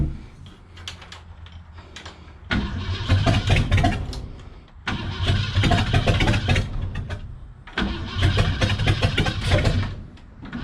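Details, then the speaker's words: Freshened 390 FE V8 in a 1966 Ford Galaxie, first start after sitting about a year with a new starter: uneven, surging running that cuts out despite correct firing order and a distributor tweak; points possibly hazed, fuel filter dripping. "so still not happy all right so i took the distributor cap off and sanded on the points a little bit just to see if they had maybe hazed over from sitting for about a year"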